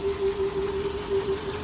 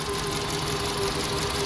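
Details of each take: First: 2012 VW Polo Vivo petrol engine at idle: uneven, lumpy misfire with the engine shaking badly. Spark plugs are the first thing to check. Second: 2012 VW Polo Vivo petrol engine idling smoothly and evenly with no stumble after reconnecting a missing wire that had caused a shaking misfire; normal idle.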